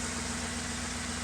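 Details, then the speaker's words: 2007 Ford E250 van, 4.6L V8, automatic, low kilometres: a steady, smooth low-drone idle with no knocks, misses or ticks. Its earlier roughness after sitting about a year has cleared; the A/C pump is seized and the belt removed. "This has the 4.6 liter V8. Runs pretty good, nice and quiet."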